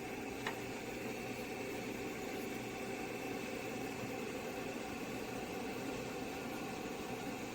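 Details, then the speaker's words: 80286 (286) computer being restored, in an AT case, powered on at the bench; the power supply gives a low, steady hum and even fan hiss with no rattles or buzzing changes. Normal power supply hum. "Computer's powered on. You can hear the hum of that power supply in the background."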